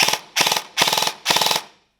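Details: Airsoft gun after Gate Titan V3 MOSFET install on an 11.1V 1450 battery, fully reassembled, selector switched to full auto: four short bursts of rapid, even cycling around twenty shots a second; normal full-auto cycling.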